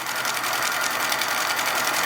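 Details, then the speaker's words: Repaired Hornby G100 live steam Stephenson's Rocket model on its first run under its own steam, new fuel tank fitted, safety valve not leaking, at a nice speed: fast, even hissing chuff with a steady beat and no faltering, running sweetly. "under its own power the new fuel tank is a great success safety valve isn't leaking and it seems to be going at quite a nice speed"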